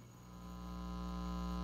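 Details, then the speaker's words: Ampeg Portaflex B-15-N bass amp after repair, volume near full, nothing connected, mic against speaker: steady low mains hum with buzzy edge, loud at one end of the hum balance control, gone when centred. "there hum as I turn it towards the middle totally gone if I keep going you'd hear it again"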